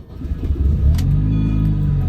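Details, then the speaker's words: Supercharged 2006 Mini Cooper S: a quick rev with a poppy, raspy, higher-toned exhaust note that rises and settles. Owner suspects an exhaust leak and will probably add a resonator. "it's very poppy um very uh raspy it but I've had exhaust systems before like my uh Dodge SRT4 I love that exhaust system"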